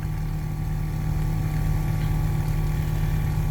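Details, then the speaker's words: 2003 Winnebago Itasca Sunrise class A RV water pump: kicks on with each toilet flush and drones continuously without delivering water to the sinks; cause not yet known. "each time I flush the toilet it will kick on the water pump but it doesn't really seem like anything else well it was priming there for a little bit"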